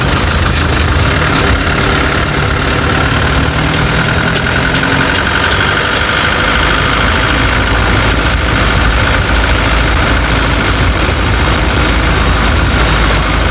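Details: Chevrolet Tavera at idle: loud, rough running with a heavy low clatter throughout; owner reports a khatpat knocking sound that 10 mechanics could not diagnose, source unknown.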